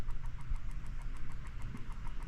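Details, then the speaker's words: Retro Duo game console with no charger, powered through a PSP charger: rapid pulsing electronic buzz, about six or seven pulses a second, no clean start; screen flashes, owner suspects capacitor or a dead battery. "don't know if that's a capacitor or what's going on."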